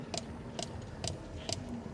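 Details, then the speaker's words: 1997 Mercedes S500 coupe while driving: sharp, regular ticks about twice a second over quiet cabin, a steady repeating click; cause suspected, not confirmed. "This really gets annoying. It's really bad."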